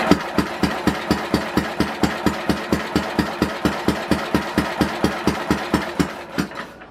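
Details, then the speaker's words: 1967 Simplicity Landlord 2010 lawn tractor with good spark and fuel poured in: even crank thumps at about four a second, no firing, will not start. Owner suspects low compression; ignition timing had been found way off. "I really don't. I think it's a compression issue right now."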